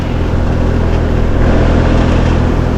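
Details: New heat pump system outdoor condenser after replacing a bad capacitor and repairing broken wiring: steady, even compressor hum with smooth fan rush, no stalling or clicking; unit starts and runs normally.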